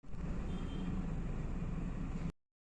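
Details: Hyundai Excent petrol engine idling with code P0300: low, lumpy uneven beat shaking from random multiple cylinder misfire.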